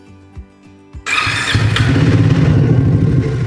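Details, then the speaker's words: Triumph Speed 400 at over 5000 km, after Triumph's January 2024 ECU update for stalling. Starts and idles quickly with a light tappet-like ticking of about 3-4 per second over the thump; engine noise has increased and the owner is unsure of its source. "But 5000 किमी चलने के बाद मैं आपको बताऊ तो थोड़े से इंजन में भी आवाज बढ़ गई है किसी चीज की है वो पता नहीं बट अंदर से जो पहले आवाज आती थी उससे कहीं ज्यादा आवाज आ रही है इसके अंदर थोड़ी सी अब वो टपट की नॉयज है क्या है अब मुझे नहीं पता"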